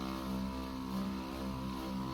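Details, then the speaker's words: Boat freshwater pump running after debris was cleared from its air-release valve; steady low electric hum with faint buzz, even and unbroken, building pressure. Normal pump running. "If this really is going well, the pressure valve switch should turn it off."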